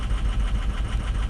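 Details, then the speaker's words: 2006 diesel pickup at 218,000 miles, fully cold, during a power-balance test. Uneven, lumpy low pulse at idle as cylinders 4–6 drop and it gets rougher; injectors are suspected but not confirmed, and a cylinder 2 glow plug code is stored. "oh they'll get four five and six are dropping four oh God it's getting rough it's getting rough"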